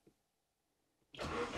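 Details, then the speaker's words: Saab 900 Turbo Commander started by key after ignition barrel repair, previously started only via remote starter; silence then near-instant catch into strong steady run; normal crank and start. "yeah that's perfect so now it's possible to actually start the Saab 900 turbo from within the car and not in the engine bay"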